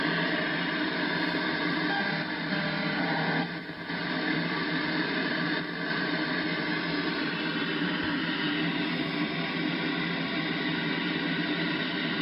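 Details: Icom IC-7100 (replaced a TS-2000) on the 2m band: steady harsh rushing static with no break swamps local repeaters and weak stations. It seems to occur only when two signals transmit together around 145.1 MHz and is easier to hear in AM; source unidentified.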